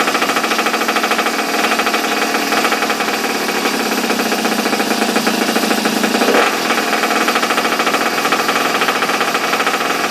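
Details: Small single-cylinder engine from an abandoned superbike barn find, started with choke on after the spark plug gap was reset. It finally lights with rapid, evenly spaced popping and one brief blip, running cleanly and steadily.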